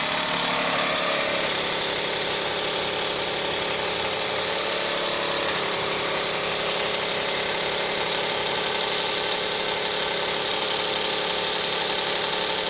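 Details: 2004 Dodge Stratus RT 3.0L on cold start; light fast clicking about three a second over a thin hissy running sound, owner thinks from the belt; stops after driving about 100 feet and restarting, cause unknown.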